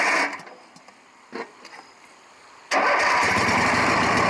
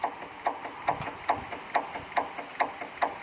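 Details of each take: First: Craftsman 18 hp opposed-twin riding mower after starter solenoid replacement. A couple of short cranks with the choke pulled, then it catches and settles into a steady, even run; healthy. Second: Craftsman 18 hp opposed-twin riding mower, six-speed, 44 in cut, new battery: key gives sharp even clicks about twice a second, no cranking; failing starter solenoid, battery power confirmed at solenoid.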